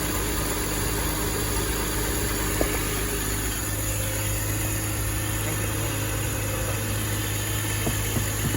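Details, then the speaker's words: 2005 BMW X5 idling after replacing the A/C compressor bearings, pressure testing, vacuuming and recharging: smooth, steady accessory hum, no growl from the compressor pulley; normal. "no more core Stone coming from the compressor bearings and doing some smooth and nice"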